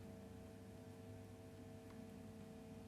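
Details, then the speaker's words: 7-string guitar with third-party-installed Fishman Fluence Modern pickups: steady low buzz that drops when touching the jack, not the strings, louder touching bridge; ground hum suspected from missing bridge-to-shield ground. "basically when I touch these strings that noise is not dropping but if I touch the jack there's a distinct drop off"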